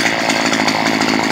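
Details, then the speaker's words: Stihl HS 45 hedge trimmer two-stroke running with its stop switch removed, after a no-start fault from a wire touching metal: a high buzz with a soft, burbly edge; the mixture is set a bit rich and needs leaning slightly. "cendo un poco rica az la mezcla la tengo quear un poquito"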